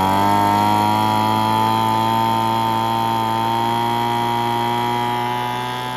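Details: Curb-found Weed Eater BV1650 two-stroke blower vac on fresh 40:1 fuel, first run after priming: steady buzzing drone that wavers slightly, running rough; owner thinks it must burn off spilled oil and runs it at full throttle.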